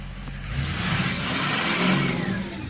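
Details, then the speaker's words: Ford 6.0 diesel before its turbo replacement, with the scan tool showing the VGT stuck at 0.84: revving brings a wavering turbo whistle that surges and sags as the vanes try to break free. Stuck variable-geometry turbo causing underboost. "vgt is actually stuck at point 84 which is part of the issue that I'm having when I rev it up we do get some fluctuation and it does want to break free but"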